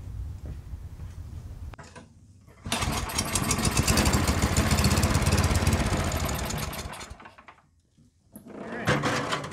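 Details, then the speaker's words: Yardworks 27-inch two-stage snowblower kept running with carb spray, augers tied engaged and the drive then engaged: the single-cylinder engine chugs steadily and digs in under load. The augers and transmission both work, suggesting the belts are in decent shape. "looks like the augur and the transmission are both working so that must mean the belts are in half decent shape"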